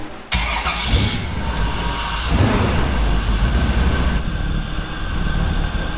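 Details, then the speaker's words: Off-road wrecker V8 on a stopgap exhaust, cold at about 125°F water temperature: catches and runs lumpy and uneven with a stumbling exhaust beat; misfiring, likely on dead cylinders, header temperatures suggesting perhaps two cold on one side, one on the other. "Have we got dead cylinders? You'll know in a second when we hook up an oxygen sensor."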